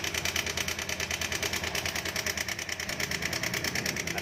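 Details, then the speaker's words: 2020 Honda Beat Street scooter, about six months old, connecting rod checked OK: quick, even metallic rattle about three times a second over the idle, loudest on the left at the tensioner; suspected failing cam chain tensioner. "Ini benar-benar buruk, kan? Suaranya ada di sisi ini, di"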